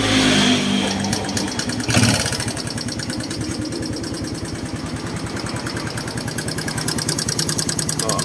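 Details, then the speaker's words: Honda Wave 110i idling after valve cover refit, previous mechanic apparently left valve adjuster locknut loose: quick, even light ticking over the single's idle, still present; excessive valve clearance; valve tappet tick. "ยังดังอยู่นะครับผมเดี๋ยวเรามาหาสาเหตุตัวใหม่นะครับก็ยังแก๊กๆอยู่นะครับ"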